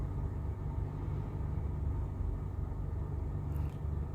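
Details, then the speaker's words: BMW X5 E70 that cranked but wouldn't start, with two fault codes, after replacing a broken, water-filled part in the engine bay: quiet, steady low rumble, no misses or knocks; starts and runs evenly. "is working perfectly"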